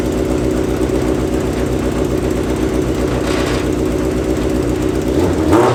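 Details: Yamaha FZ6 multi-cylinder engine in a homemade kart with new stainless exhaust: deep steady burble with even firing beat and brief blip at end; healthy.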